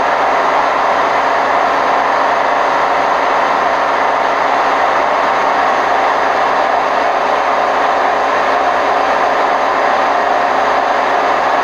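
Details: Hotpoint WMF760 washing machine on spin program, May 2018: loud, rough, constant roar through the whole spin with no knock or rhythm, from worn drum bearings.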